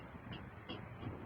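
Sharp knocks land about three times a second over a low rumble, a steady hammering in the hot water line.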